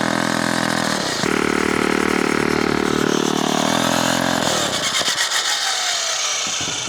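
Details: Small engine in remote off-grid cabin setting, after carburetor work and throttle stop adjustment, started on full choke: speed sags and surges, then stumbles and fades, won't hold steady revs. Rough running persists after the repair attempt.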